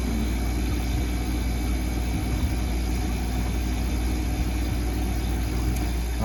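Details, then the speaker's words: Ice-O-Matic CIM ice machine after replacing faulty fan cycle pressure switch (fan hadn't run, compressor tripped on high pressure): switch clicks at 250 psi, condenser fan now spins; low steady fan and compressor hum, no rattles. Normal condenser fan running. "click and fan is spinning can't really see it but it is definitely spinning so that is a successful change out"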